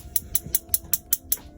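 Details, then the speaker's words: Auto-Trail Expedition 68 camper van gas oven: knob pressed and turned, the igniter clicks sharply about five times a second, seven ticks, then stops as the blue flame catches; normal ignition. "so you press that button in turn it around for the oven Clicker and you can hear and see it light up you can see some blue flames in the"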